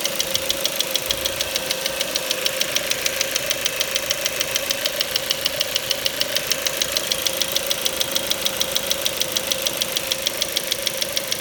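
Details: 2.0 Duratec HE in a Ford Mondeo 4, 89,000 km, with LPG fitted at 70,000 km: sharp, even metallic ticking about three a second over idle that disappeared at 7000 rpm; valves and swirl flaps were ruled out and the petrol injectors are suspected.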